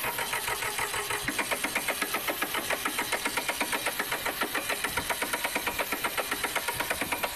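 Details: Massey Ferguson 1010 tractor diesel on a cold start during radiator replacement, air cleaner full of dust: clatters in uneven pulses around four per second, loping and stumbling rather than settling; rough running, cause unclear.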